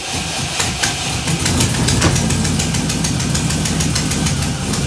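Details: 1978 Datsun 280Z with aluminum 5.3 V8 and NP440 4-speed, after head gasket job; steady, even idle while warming up to temperature, smooth firing with no knocks or misses; engine running healthy.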